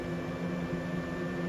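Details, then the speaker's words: Old 3-speed Fan-Tastic roof vent fan in a trailer, on its highest speed before being replaced with a MaxxFan Deluxe: a loud steady rush of air over a low hum and faint buzz, shaking the roof slightly. "so as you can hear it's pretty loud it's actually vibrating the roof slightly too"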